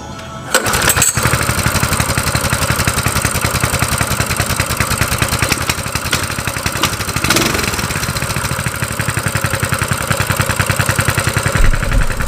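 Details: Coleman CT200U-EX mini bike that previously would not start: after a carburetor cleaning, started on choke with the air filter off, it catches and settles into a quick, even popping beat, running properly.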